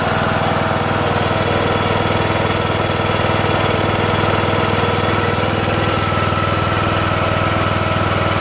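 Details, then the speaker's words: Craftsman LT2000 19.5HP lawn tractor engine after valve lash adjustment, which fixed the loud running and front clicking; steady, even idle with no rocker ticking, quieter and smooth, no valve cover leaks. "Quieter now. Cool. Idles well. Nice, smooth. No leaks."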